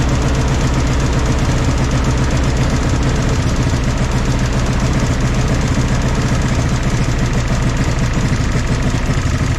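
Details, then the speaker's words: 1964 Jeep CJ5 barn find, previously seized engine, just revived: steady four-cylinder idle with even beat and no stumbling once the fourth cylinder apparently kicked in; smoky but running smooth. "I am so tickled to see this thing actually sitting here running this is awesome oh guys I am just so happy about this you guys hear how smooth this thing's actually running"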